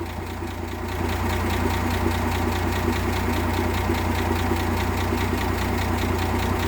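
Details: 1958 AMC Rambler Super at idle, after refitting the Weber carburettor and a new distributor cap that cured a misfire: even, steady low beat with no stumbles or skipped pulses, firing cleanly on all cylinders.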